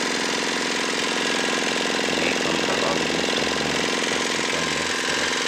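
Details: Dongfeng single-cylinder diesel restarted after repair for oil consumption and white smoke: even, steady chugging with a regular beat and no knock or miss over the clatter; running normally.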